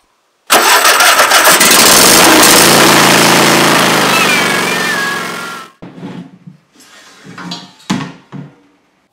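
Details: Mower started for comparison beside a Ryobi RM480EX electric mower: cranks briefly, then catches into a loud, steady small-engine roar held evenly for several seconds before shutting off; normal start.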